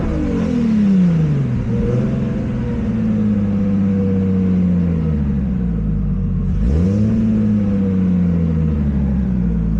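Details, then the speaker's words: Nissan Skyline R32 GTS-T revved at and just below redline during crank trigger troubleshooting (scope showed 34 teeth, previously 33): revs climb and fall unevenly, then a sharp intake backfire; high-rpm misfire, trigger issue suspected. "So right at red line and a little bit beforehand, we still have that issue, and then it backfired out of the intake."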